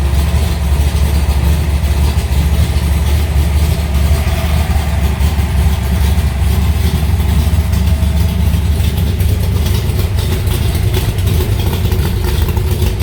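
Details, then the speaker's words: Alloy Cobra started after two months sitting, fired right up: deep, even rumble holding steady at idle with no misses, ticks or knocks; runs cleanly. "Sounds good."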